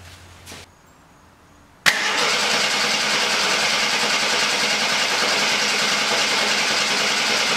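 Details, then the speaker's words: 1972 Jeep Commando inline six, sat almost 10 years, cranked briefly to check the engine isn't seized before fuel: click then strong, even cranking about three turns a second, no binding; engine turns freely. "so i'm just gonna crank it over make sure the motor is not frozen and that it works we'll see what happens [Music] all right so it cranked sounded strong"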